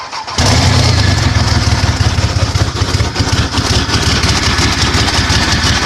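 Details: 1998 Dodge Dakota 3.9 V6 swapped engine after a no-spark, no-start caused by a broken camshaft gear that stopped the distributor turning; after the repair it cranks briefly, catches cleanly and settles into a steady, even idle.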